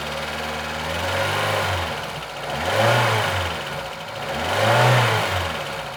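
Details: VAZ 2114 engine revved up and down repeatedly, with a knocking coming through over the revs; owner asks what is knocking, internal knock of unclear cause.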